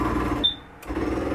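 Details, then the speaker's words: Keystone Raptor 361LEV main slide-out being brought in: motor drone with a brief high squeal, short pause, then motor resumes as the slide seats itself; a normal sound. "it's okay to hear that noise. It's just the slide setting itself."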